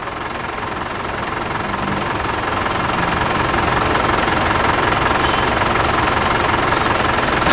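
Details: Steady diesel idle with even clatter, about 160 beats a minute, no misses or knocks. Engine running about a minute after a fluid additive meant to quiet diesel engines was added, with a decibel meter measuring noise. Healthy, settled idle.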